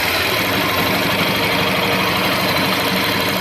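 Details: Honda Bros 150 motorcycle idling after the repair: even, steady single-cylinder putter with no misses, rattles or knocks; normal idle, problem resolved.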